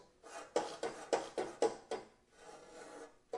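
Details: 14-inch abrasive chop saw after the cut-off wheel shattered while cutting exhaust tubing: harsh rasping scrape repeating about four times a second with no motor underneath as a broken disc fragment is jammed and dragging.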